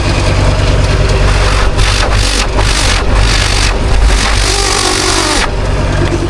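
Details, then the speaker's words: Ford Ranger Wildtrak 3.2 diesel after turbo gasket replacement, exhaust refitted: smooth, even idle with a few clean throttle blips, plenty of pressure from the downpipe, no hissing, chuffing or leaking under the car; normal idle and rev. "Plenty of pressure there. Don't hear anything leaking under the car. So I think that's the result, fellas."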